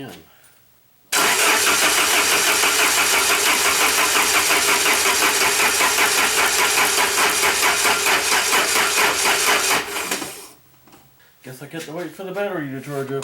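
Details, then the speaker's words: 1994 Saab 9000, non-turbo, after injector rebuild with new caps and seals and reset: steady rhythmic cranking about nine seconds that never fires; crank no start, owner suspects fuel, likely the EVAP valve flowing both ways. "it's got to be fuel i'm still thinking that it is this here uh come on get up out of there this evap i do believe that that is the problem"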